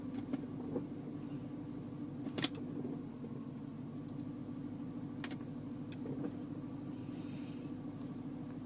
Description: Second clip - overly loud DCT clunk noise from N, D, R